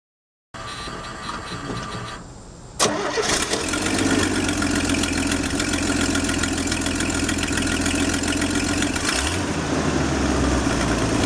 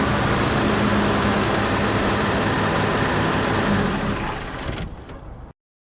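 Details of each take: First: 1968 Chevy II Nova 230 six-cylinder cranks, fires and idles with sharp raspy puffing tick from a blown exhaust gasket, before the gasket was replaced. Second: 1968 Chevy II Nova 230 petrol inline six idling smoothly and evenly after the blown exhaust gasket was replaced, with no ticking or exhaust puffing.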